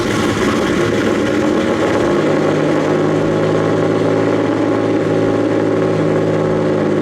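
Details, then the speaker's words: Nissan S15 turbo petrol engine at idle with no O2 sensors and probable boost leaks: steady, low, even growl with no missing beats, running smoothly and no longer smoking. "it's not going to sound the best but it does sound pretty good it has a nice little growl to it"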